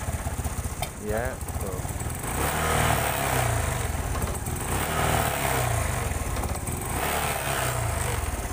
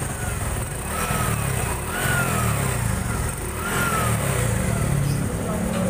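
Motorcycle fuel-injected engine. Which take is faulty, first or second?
first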